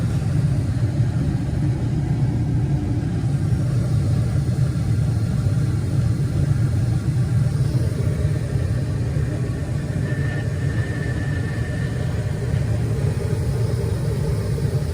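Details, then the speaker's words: Gas furnace after the exhaust fan creates vacuum, the igniter clicks and the flame lights. A deep, even low rumble with a steady airflow hush and no rattles or surging: normal furnace operation, burner and blower running. "this if is everything normal and is is running good we will do couple test now to see if there any problem what will happen is normal everything is normal so far"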